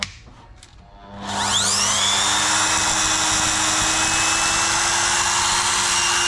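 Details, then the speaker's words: GTPRO ceiling sander brushed motor after repair: it spins up to a steady high whine with no more sparking or crackle, and the brushes still need to bed in; works 100%, normal motor run. "Okay, good news, it works 100%. When you turn on, you don't hear the sparky fast sound, but it's for time being, it will rest themselves in."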